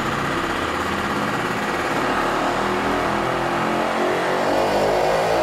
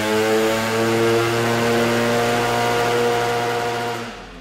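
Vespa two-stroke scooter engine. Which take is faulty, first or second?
second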